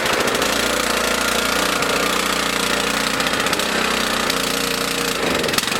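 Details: Small mower engine on 87 octane fuel stored 13–14 months, choke on: busy rattly patter at steady speed, no stalling or surging; running acceptably.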